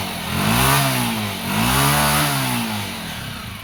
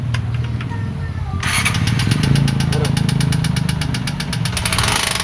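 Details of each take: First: Honda TMX125 Alpha single-cylinder after repair of worn parts caused by a clogged oil passage, with the oil pump checked as working: even single thumps and two smooth blips with no tapping or rattle. The earlier engine noise is gone. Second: TMX 125 Alpha single-cylinder idling with loud, fast metallic top-end clatter; teardown found worn parts from a blocked oil passage clogged with sealant.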